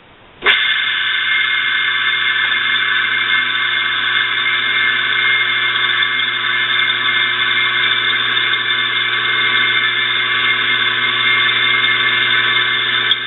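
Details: Electric motor with a noisy bearing, oiled through the front and rear screw-type fill ports, then plugged in: steady high whine and rough hum that stays even at speed; noise still comes from the bearings, especially the rear one, even after oiling.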